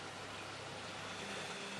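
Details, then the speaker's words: Samsung front-load washer after replacing the broken spider arm, bearing (ZKL) and oil seal, test with a Calgon cleaning run: smooth steady whoosh of the drum spinning, no knocking, rumble or grinding, showing the bearing and spider arm are installed correctly. "Động cơ khởi động và lồng giặt bắt đầu quay. Điều đó có nghĩa là ổ trục đã được lắp đặt chính xác và cánh tay nhện đã"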